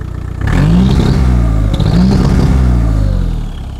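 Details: VW T3 bus at about 4,600 m in the Peruvian Andes suddenly lost power with white exhaust smoke. Diesel revs up twice with a hollow, labouring note and no pull. Owner believes the turbo is seized.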